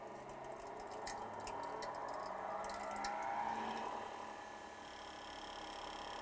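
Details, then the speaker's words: Hercules 8-inch bench grinder (5 A, 0.9 HP motor, 2000–3400 rpm variable) at lowest 2000 rpm: quiet, even whir, no wobble or vibration; smooth and balanced, unlike the other one with the chunked wheel. "definitely smoother because the other one had the Chunk on I think it really threw it off balance the other one would be vibrating right now to off of this so that's good and it's quiet I mean it's really quiet"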